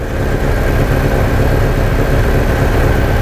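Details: 1987 VW Vanagon with misfiring and stalling, after a ballast resistor was added to the ignition coil to remove multi-strike: steady, even low idle with no stumble or missing beat; engine now running smoothly.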